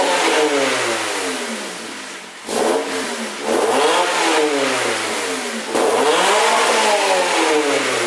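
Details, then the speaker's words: Stock exhaust on a 2000 Honda Civic, revved before installing an eBay 4-inch rolled-tip aftermarket exhaust: three clean revs rising and falling smoothly, mellow even note with no rattles or misses, healthy stock setup. "all right before I do anything let me do it before and then after or what the car sounds like"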